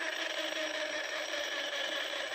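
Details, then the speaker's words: Mahindra Treo Plus 8 kW EV motor, bench-run before repair: steady high whine at a couple of pitches, no engine; so loud the vehicle couldn't be driven, attributed to the motor's reduction gear. "इतना आवाज हो रहा है कि गाड़ी में लगाने के बाद यह चला नहीं पा रहे हैं।"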